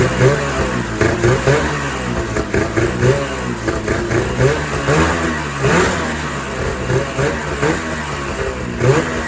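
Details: 2000 Ski-Doo MXZ-X 440 liquid reed-valve two-stroke race sled after fuel system repairs (carbs cleaned, pickup line replaced, primer lines corrected): picks up cleanly and answers repeated throttle blips crisply; running properly.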